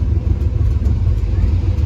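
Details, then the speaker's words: 1994 Chevy K1500 after replacing coolant temperature sensor, restarted after sitting about an hour, timing not yet set: deep steady rumble, even beat, no misses or knocks; starts and idles cleanly. "So, now it's been sitting for probably an hour since I've ran it. I'm going to see if does start right up again. That's it. She runs."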